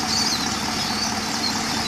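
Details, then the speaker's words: Holden Commodore VE SS with 150,000 km, idling with engine covers refitted after routine spark plug and NGK 8mm lead replacement (no misfire before): steady, quiet idle with an even hum, no ticking or knocking; healthy, smooth engine. "So here we are with the covers back on, and you can see it's a bit quieter, or you can rather hear it's a bit quieter"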